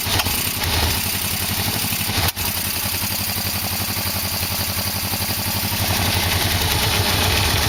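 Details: 1987 Yamaha V-Max 1200 engine freshly installed, carburetors on with exhaust hooked up, final test: even steady idle, clean regular beat, no knocks or rattles, oil burning off; runs smoothly, a successful start.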